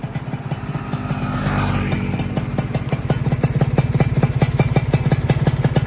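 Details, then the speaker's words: Freshly rebuilt Yamaha F1ZR two-stroke engine, new block at zero oversize, first start: crisp regular popping settling into an even idle after a brief blip, no rattles or knocks; running smoothly. "nah oke teman-teman e Alhamdulillah Ini mesinnya sudah naik dan alhamdulillah suaranya juga udah halus"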